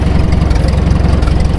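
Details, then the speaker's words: About 70-year-old International T9 crawler bulldozer, 4-cylinder engine (owner thinks 336 cubic inches), moving off after the clutch is engaged. Low, even chug with a steady rhythm and no knocks or rattles; a quiet, healthy, well-kept engine running normally. "See how quiet it is? You can't even hear it. There's no sound effects here. That's just quiet operation. What that says is this thing's been well taken care of."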